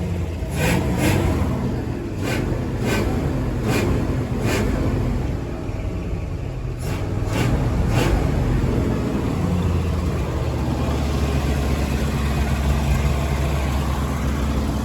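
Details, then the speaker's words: 1975 Ford F250 with the formerly locked-up FE 390 V8, driving: deep, even V8 rumble pulling smoothly with no misses, knocks or rattles after a brief cough on a hill; carburetor still needs adjusting, but it runs healthy. "Yeah, it just sounds good."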